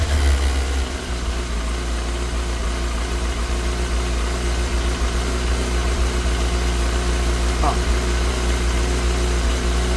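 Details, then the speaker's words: Yamaha R6 after fuel pump replacement, freshly started and warming up: steady, even idle and clean light revs, running on all four cylinders with no sign of dirty injectors. "Hell, at least it's running on all 4 cylinders. No injectors are dirty or nothing, it don't seem like. It sounds pretty clean when I give it a little."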